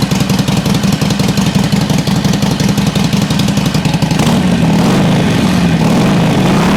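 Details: 2007 Harley Sportster 1200 Custom after no-crank and oil leak repairs, first start with engine light off: starter catches and V-twin settles into steady loping idle, even firing, no knocks or misses; running healthy.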